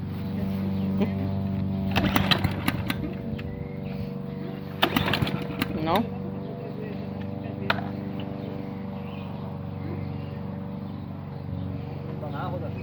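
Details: Lawn mower after a no-start fault (spark plug or ignition coil suspected): small single-cylinder engine holds a steady, even running note under some clatter and handling knocks; it now starts and runs.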